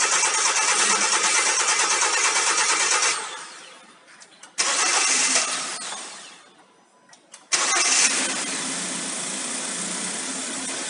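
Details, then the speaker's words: Hyundai ix35 2012 G4KD engine, 149,000 km, after rebuild (bored 0.5 oversize, new timing chain kit, polished crank and cam journals, repair pistons, oil jets, head repair): catches promptly, revs, then smooth even idle with no knock or tick; runs excellently. "так самый живой мотор работает отлично уже прокатились пару раз"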